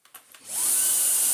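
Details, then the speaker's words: Dyson DC49 digital motor, bought as spares or repairs but recently PAT tested, first power-up before refurb: high-pitched whine rising quickly to a steady, even hissing rush, no rattles or grinding, exhaust gets hot at once; motor runs normally. "but hey that sounds okay yeah yeah out the back goes red hot straight away it's okay"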